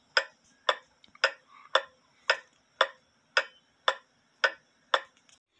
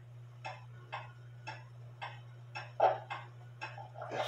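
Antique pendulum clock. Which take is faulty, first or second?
first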